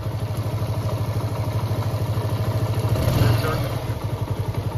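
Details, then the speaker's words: TVS Apache RTR 160 BS4 at idle after the engine was opened and repaired: slow, even low thumping about three pulses a second, the earlier rattling knock completely gone. "और bike अभी start है आप engine की sound को सुन सकते हैं पहले जो साउंड आ रही थी वो पूरी तरीके से खत्म हो चुकी"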